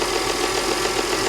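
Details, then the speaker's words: 2010 Audi Q5 Premium Plus, direct-injection engine with rear timing chain, light rev: even idle, steady hum, no top-end tick or knock; sounds absolutely fine. "let's give it a little Rev sounds fine it sounds fine I don't even hear a top engine tick nothing it sounds absolutely fine"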